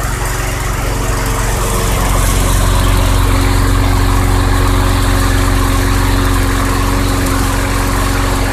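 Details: 2006 Craftsman 917.376160 push mower with 6.75 hp engine, found roadside and rusted out, running on 90-octane ethanol-free fuel: smooth, even single-cylinder beat with no misses, surging or rattles; engine great though the deck is not reusable.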